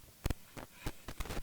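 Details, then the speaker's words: Analog mixer before cleaning: irregular sharp pops and crackles as a channel fader/pot is moved; dirty fader or pot contact. "to that wow that's bad definitely have some crackling in there"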